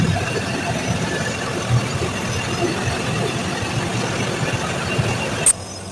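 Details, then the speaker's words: Package AC unit on second floor, loud rough rumbling with gritty rattle, worse as it shuts down, noise carrying through ducting down to ground floor; diagnosed worn fan motor bearing needing replacement. "यही sound है और बंद हो रहा है तो और भी ज्यादा हो रहा है और पूरा नीचे तक का जा रहा है।"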